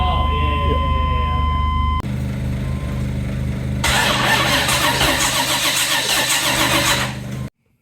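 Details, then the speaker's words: 1980 Camaro cranks steadily with no firing pulses and never lights. This is the no-spark problem: the ignition coil wiring was wrong, including the yellow tach wire, although power to the coil was good. "Back here with the Camaro, and so I feel stupid for this, but I was sitting on this for a while with no spark issue and couldn't figure out what was going on."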